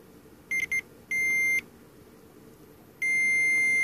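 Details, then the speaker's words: ESR meter testing purple Panasonic capacitors of a vintage Sherwood S-7200 receiver: clean high beeps near 2 kHz, two short chirps then two longer tones, in a quiet room; reading shows the capacitor measures okay. "measure is okay let's do the one on the other channel"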